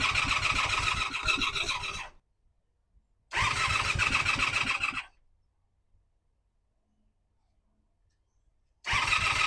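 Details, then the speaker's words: 1985 Honda Magna V30 V4 motorcycle, first start after JB-welded tank, carburetor rebuild, ignition bypass and radiator install, fan unplugged: engine catches, runs ragged with busy top-end chatter and dies within two seconds; much rougher than before the work. "It may or may not be obvious in the video, but this thing sounds like absolute dog It sounds way worse than it did the first time I started it before I worked on it."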